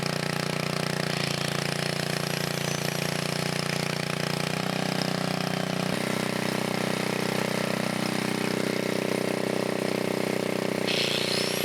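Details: 1980 Montgomery Wards 2200 W generator, Briggs & Stratton 5HP, after NOS block swap and carb rebuild, air breather off; steady drone briefly shifts speed as governor corrects then holds even, no knocking or misfire: normal governed run.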